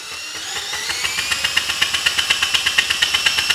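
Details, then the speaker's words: Husky HU905000 generator with Subaru EX engine, first run after oil change: high thin whine with fast regular ticking near three per second; noise gone once stator removed, no rub marks seen, alignment issue suspected between rotor and stator. "i wasn't sure what to think of that noise so i ended up pulling off the stator really just wanted to look for any rub marks and i'm not seeing it you know it looks pretty good same thing with the rotor the interesting thing though is that now that it's uninstalled that noise is gone"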